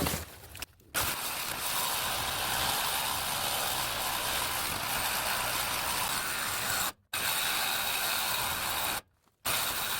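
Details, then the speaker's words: Cordless saw cutting 2003 Mitsubishi Galant exhaust pipe metal even after a battery change: fast rasping strokes that cut out dead twice and restart, the saw signalling its battery is almost dead and can't hold the motor under load. "that stopping of the saw is the saw actually saying my battery's almost dead my battery's almost dead"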